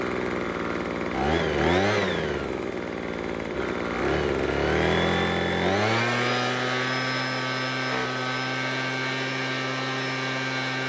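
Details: Craftsman two-stroke leaf blower after repair for a no-start. It catches, revs up, then holds a steady high buzz with no stumbling or misfire. It is running normally.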